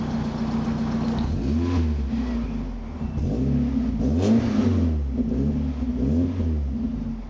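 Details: Mazda MX5 engine blipped up and back down cleanly several times, with a smooth rise and fall and no knocks. The exhaust is not too loud but has a light rasp; normal, healthy revving.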